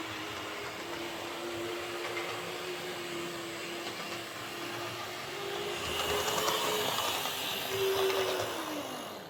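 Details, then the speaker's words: Airfix Class 31 model loco running in reverse on the layout after the worm gear adjustment: steady high-pitched motor whine with a light gear buzz. A little noisy but acceptable. "So yeah, it's a little bit noisier in reverse, but it's not too bad. I can live with it."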